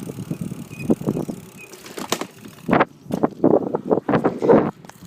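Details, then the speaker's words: iGO Urban 250 W mid-drive e-bike riding over a speed bump: hollow plastic clunks and rattles as the removable rear battery housing shifts in its frame lock. "know if you can hear that but the Box in the back when I went over the speed bump you could hear it kind of bumping around that was the noise I was talking about"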